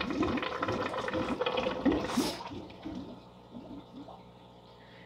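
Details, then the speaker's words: FX6 canister filter after cleaning and restart: pump shuts off, then soft irregular gurgles and bubbling fade out; normal automatic air purge, no leaks seen. "Okay. It has shut off. You can hear it purging now."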